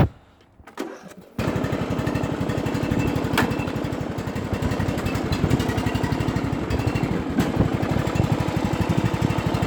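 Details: John Deere lawnmower cold start: a short crank, then it catches and settles into a steady, even single-cylinder chug at around four beats a second with no misses. Normal cold start and idle.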